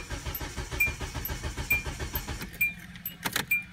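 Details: Car cranking but not starting on very low fuel while parked on an incline, battery voltage okay: steady starter churn about one pulse per second with faint ticking, never catches; owner suspects insufficient fuel pressure, unconfirmed.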